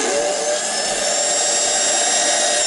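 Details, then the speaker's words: Lionel pre-war 48W whistling station, lid back on: steady hissing motor whir with no whistle tone; suspected the lid suffocates the air intake. "push the button where does the whistle go you just hear that power"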